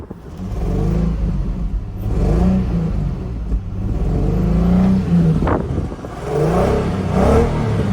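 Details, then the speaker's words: 2004 Infiniti G35 RWD at an auction lot, revved while stationary: climbs and drops cleanly through several blips with a smooth deep note and no knocks or rattles; the engine is noted to shake. Normal revving. "Sounds nice. It sounds nice."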